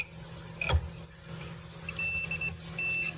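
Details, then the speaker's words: 2009 Sundance Maxxus hot tub with humming jet pumps that don't start: multimeter continuity test on fuses, several short steady high beeps over quiet room hum, showing those fuses are good. "That one's beeping, and that one's beeping. So all those fuses are good."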